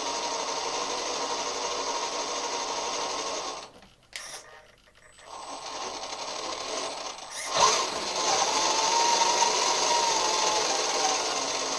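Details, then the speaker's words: CrossRC MC8 RC truck after winter mud abuse, both metal front axles rebuilt with new end and steering-hub bearings (diffs spotless, gearbox not yet greased): spinning up gives a smooth, even high gear whine, briefly dropping out, no grinding or knocking; nice and quiet, healthy drivetrain. "so the both the axles are back on and I'm just gonna spin it up for you so you can hear what it sounds like"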